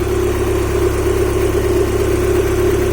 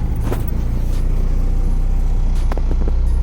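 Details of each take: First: Honda H22A after ARP head studs and intake setup, heavy oil leak at valve cover or cam seal suspected: smooth, even idle hum with steady low drone, no ticking or knocking; sounds healthy, normal idle. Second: Honda H22A after ARP head studs and intake setup, idling on its own without the idle screw on the same tune that should run lean, yet running very rich: steady, slightly lumpy deep idle, no knocks; rich-running idle.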